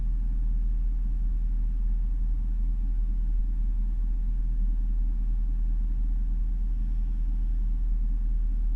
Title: Jaguar XFR rough idle warm engine